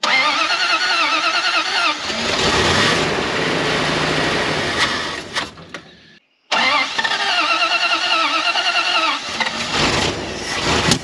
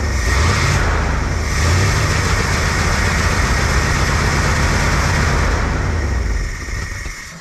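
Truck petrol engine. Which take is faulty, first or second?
first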